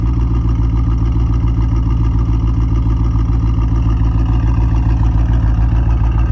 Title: 2017 Chevrolet SS Sedan/Holden Commodore Misfiring #ls #ss #holden